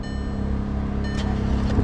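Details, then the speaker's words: 2016 Volkswagen Tiguan, crank no start: steady starter whir for about a second with even cranking but no firing; what look like metal shavings seen and the camshaft trigger wheel appears not to move, suspected timing failure. "The question is, all right, I'm just gonna crank the engine for a second, and I'm looking at that little lever right there, that little notch. I'll see if that moves."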